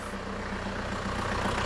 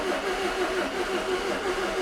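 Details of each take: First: 2002 Renault Master 2.2 dCi with an intermittent crank-no-start, just restarted after fitting genuine pump parts and new heater plugs, air box off and low fuel: steady, even diesel tick-over with consistent clatter, idling normally while checked for leaks. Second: 2002 Renault Master 2.2 dCi van with intermittent crank no start, after new genuine fuel parts and priming out air bubbles, air box off: starter churns about three cranks a second for several seconds, never fires; crank no start.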